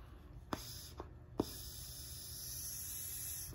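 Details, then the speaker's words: Audi/VW 2.0T PCV breather module check valve, cut open and blown through by mouth; steady airy hiss for about two seconds as air passes back through, flap not sealing; leaking check valve. "you hear that some air is still coming through here so let me try another one"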